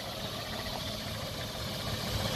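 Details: 1985 Toyota FJ60 Land Cruiser with a carbureted six and the air injection removed, running after revival. Steady, even idle with a smooth low rumble and no knocks or misses; normal idle.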